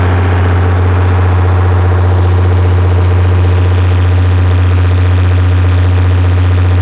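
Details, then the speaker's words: Perkins six-cylinder diesel generator after recalibrated injectors, new fuel filters and cleaned injection pump, carrying about 45 kW at 60 Hz: deep, steady low drone with no surging; running healthily, though governor issues remain. "okay so that right there proves we've got enough horsepower to maintain 60 hertz at 45 kilowatt"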